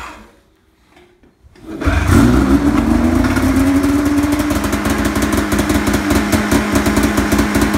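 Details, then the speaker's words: Snowmobile (ZR, two-stroke), used, about 3,500 miles, heavily rusted: after a quiet start it catches and runs rough with a raspy ticking over the drone from exhaust leaks; owner reports a loud clunking noise on starting, cause unknown. "When you freaking start it, it makes some like really loud ass clunking noise. It's got fucking exhaust leaks there, which I realized that some of these things aren't a big deal."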